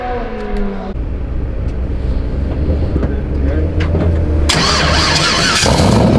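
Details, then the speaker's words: Turbocharged Z06-engine Corvette, about 2000 hp, making its first runs at the track: engine revs hard with a rising rush and whistle as boost builds mid-track, about 22 psi estimated; normal turbo spool-up. "did you hear that turbo come to life"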